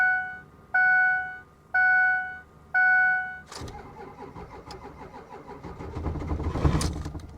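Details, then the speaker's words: Diesel Ford F250 on a booster pack: four beeps, slow labored crank, brief catch that surges and fades; fires then dies, suspected lost fuel prime. "it fires up and then it dies yeah we probably just completely destroyed the booster pack at this point"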